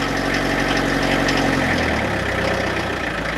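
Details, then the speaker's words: Diesel truck with a gearbox issue, cold start at about 3°C in damp cold, last run two days earlier: a lumpy, uneven idle with some shake after a hard start. There is a preheat (glow plug) problem. "bon je crois que c'est clair il ya un léger problème de préchauffage sur ce camion"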